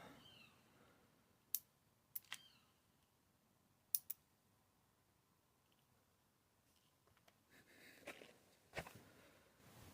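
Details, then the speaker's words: Relay switched with four 9-volt batteries giving 35 V, testing back-EMF voltage spike (about 65 V measured); sharp dry clicks, six or so over ten seconds in a quiet room, as it pulls in and drops out; normal relay switching. "So we've got 35 volts coming out of them for 9-volt batteries. Right, let's switch it on, see if the relay can take it."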